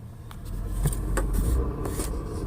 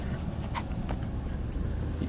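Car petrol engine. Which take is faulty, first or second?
first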